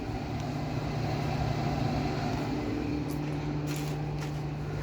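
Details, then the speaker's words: Jaguar XJS V12, hot engine shut off with bonnet closed and under-bonnet temperature stabilised at 96; electric radiator fans switched on, heard at the front of the car: steady even low whir and constant hum, no pulsing or rubbing, with heat dropping. Normal radiator fan operation. "So that's the radiator fans on. Hopefully you can hear them at the front of the car here."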